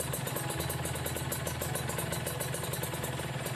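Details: Ninja RR two-stroke with racing exhaust, no air filter, after carburettor needle setting and idle adjustment: crisp, even putter at steady idle with no stumbling or misses; carburettor idling cleanly.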